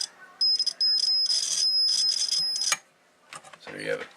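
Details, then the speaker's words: Homebuilt T-match antenna tuner, about a year old: continuity buzz drops out and returns as the roller travels the coil, scratchy and spotty contact; roller rod fairly dirty all along, coil needs cleaning. "the coil definitely need to be cleaned there's no doubt about that and oil on that roller the rod at the roller depress huh fairly dirty all the way along"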